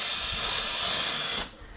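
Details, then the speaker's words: Refilling a household gas water heater after flushing the tank, with the faucets left open: a loud rushing hiss with some sputter that dips and resumes as trapped air blows out of the hot water lines, which is harmless until a solid column of water comes. "Don't be worried if you hear all of this pressure coming out of your hot water side. That's just the air behind the pipes in the house."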